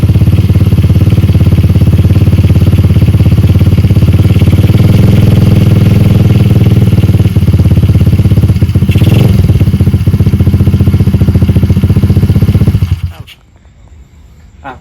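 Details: Stallion Monkey 125cc (Star) single-cylinder minibike, stock apart from a small-magneto conversion with the manual-start set removed, running on a newly fitted replacement carburetor: loud, even beat at steady idle, no misses or rattles, then clean shutdown; healthy.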